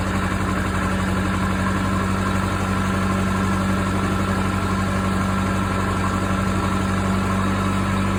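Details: Case 450B dozer, 207 diesel, first start after rebuilt injection pump reinstalled (pump removed for fuel mixing into oil): steady, even unloaded clatter about four beats a second; idles a little high, pump needs adjustment.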